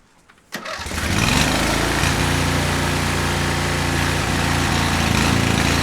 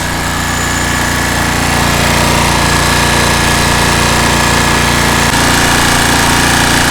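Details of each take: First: Cub Cadet 1641 lawn tractor, engine hot and running with the choke on, on very old whiskey-coloured, oily gas: it catches and settles into an uneven, lumpy, wavering run, rough throughout from stale fuel. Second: Cub Cadet 1641 lawn tractor running after carburetor cleaning and fuel change, earlier lean backfire and suspected fuel pump diaphragm: steady, even single-cylinder beat at constant speed with no misses or hunting, likened to a 350 Chevy note, then clean shutoff; healthy running.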